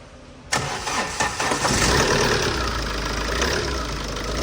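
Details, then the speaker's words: Tata diesel that had knocking, shaking, a check-engine light and low pump pressure, after filters and injector cleaning (pressure now normal): a brief crank, a quick catch, then an even diesel idle; revving still problematic. "เครื่องสตาร์ทติดน่าติดง่ายแรงดันดีเลยนะโอเคปกตินะ"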